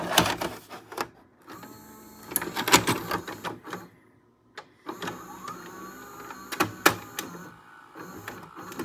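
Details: Philips SV2000 VCR (F9 mechanism), reassembled after repairing the common mode switch fault that had been eating tapes. Motor whirs, clicks and clunks as the tape threads, then steady running: loading normally.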